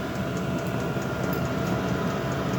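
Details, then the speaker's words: Diesel-powered heater installed in the cabin of a Nova kit car: even turbine-like whooshing hum with quick regular fuel pump tick, tick rate varying with heat setting; normal running. "can hear the noise. It's a bit like a turbine engine. You can also hear the clicking of the fuel pump. It's a tick, tick, tick."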